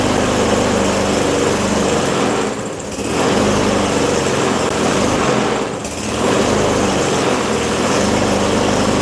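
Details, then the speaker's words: Yard Machines 21-inch self-propelled mower with Briggs & Stratton 550EX 140cc single-cylinder engine running unevenly, surging and dipping twice in nine seconds; still starting and running poorly, cause not yet found. "Well, as you can hear, it's not starting the way it's supposed to. It's still starting a little crappy."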